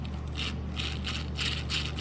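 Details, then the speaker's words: Hand-spun 3Racing Sakura D5 (D5-RR/D5-MR) RC drift chassis gearbox: dry, uneven rattle with scraping bursts about twice a second; whine typical of most new D5 gearboxes, this one quieter, expected to quiet after a session or two of break-in. "pretty standard for most e5 gearboxes this one's not as noisy but you can still hear it a bit"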